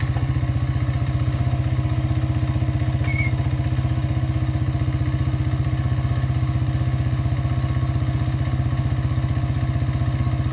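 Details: Honda XR100 after 120cc big bore kit, new cam, new carb (float level corrected, 35 pilot jet instead of 36), new air filter, idle screw adjusted: kick-started, even steady single-cylinder thump about three beats a second, no misses or hunting; normal idle.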